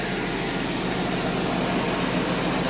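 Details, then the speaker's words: 1991 Mercedes 190E after all 12 lifters were replaced, settling to normal operating idle. It has a smooth, even hum with no lifter ticking. The owner faintly suspects an exhaust manifold gasket noise. Normal idle. "the engine is actually getting down to the normal operational idle speed and there is absolutely no lifter noise"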